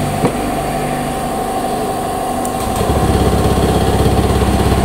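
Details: Honda Beat injected scooter after new throttle body fitted, which fixed hesitation at high rpm blamed on the sensor: catches and settles into a steady, even idle of about three beats a second with no stumble; normal idle.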